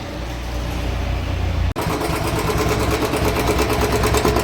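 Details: Royal Enfield Bullet BS6 Standard, 8524 km, converted to carburettor a month ago: steady single-cylinder idle with a light quick tick; top-end ticking traced to a choked oil filter starving the valvetrain.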